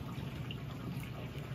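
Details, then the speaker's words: House during a winter storm: steady low rushing hiss with constant heavy flow behind the wall from a pipe that burst in the back guest room, water spreading fast. Burst pipe. "it's a burst pipe that is bad that real bad I don't know oh my gosh it's going fast"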